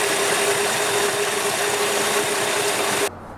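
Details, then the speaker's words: 1966 Valiant Slant 6 idling during valve adjustment, engine getting quieter as valves are adjusted: steady even idle with fast light ticking over a smooth hum, no loud clatter. "the more valves i adjusted the quieter the engine sounded now just so you can hear the difference we're gonna jump back to when i started adjusting the valves listen to the difference"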